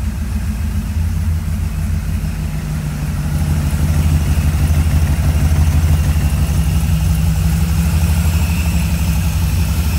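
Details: 1978 Corvette C3 restoration with newly installed FiTech EFI, ready for test driving and tuning: steady, even V8 idle with a deep low burble, no knocks or misses; sounds healthy.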